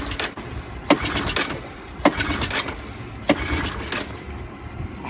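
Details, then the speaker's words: 1984 Honda ATC200ES Big Red trike, sat for years, first start attempt, no choke: three sharp pulls, engine barely coughs and never catches; air box found full of gas, flooded, suspected sticking float. "there's smoke romantics also it is firing maybe a little might be flooded from the gas cellphone"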